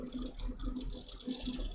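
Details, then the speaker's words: Fan in a custom Intel i9-9900K, Z390 water-cooled giveaway PC at power-on: a fluttering rattle pulsing over the fan whir. Owner suspects a mounting screw is slightly too tight. Fan rattle. "It's causing the fan to make that noise."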